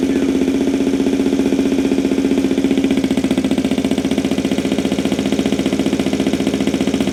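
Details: 2023 Benelli TNT 135 at cold first start after a DCR cam and custom ECU tune install: loud, fast, steady single-cylinder idle with even pulses; idle sits far too high.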